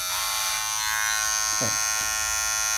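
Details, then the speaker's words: Wahl Detailer Cordless hair trimmer running with a harsh, loud, high-pitched buzz from a worn blade plate; fixed by replacing the blade plate and greasing it. "a placa agora essa é a peça que provoca o ruído intenso que o povo que gosta de fórmula 1 deve gostar"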